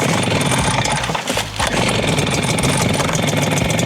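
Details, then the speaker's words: Kama HD-999 two-stroke engine blower, flooded with excess fuel and oil, started with choke on: catches and runs loud and ragged with brief stumble, smoking heavily while clearing. "이 상태로 온으로 놓고 시동을 걸면 엔진 오일이 많이 넘어와 있고 연료가 많이 넘어와 있기 때문에 연기가 좀 날 거예요."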